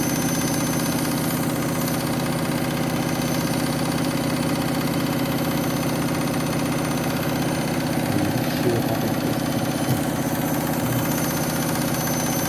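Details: Washing machine final spin after a very sudsy final rinse (possible suds lock, load sensor deciding speed): loud steady roar with a low hum and no letup at high speed; noticeably noisier than a normal spin, cause unclear.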